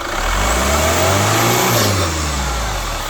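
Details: Chevrolet Captiva FL diesel with weak pull, smoke on acceleration and hard cold starts, revved: rough growl with a faint whistle under throttle; problem traced to injectors and turbo, fixed with a new turbo hose, throttle elbow bracket, injector rings and CVs.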